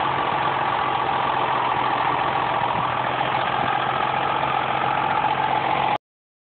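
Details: Mercury Cougar 2.5 V6, automatic: idling steadily with an odd irregular tapping, about three or four a second, over the hum; weird engine noise, cause unknown.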